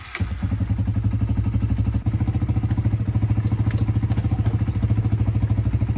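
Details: 1996 Honda TRX300EX quad warming up at idle after repair of no-drive-when-clutch-released fault, chain back on; even single-cylinder thumps, no misfires or rattles, idling cleanly.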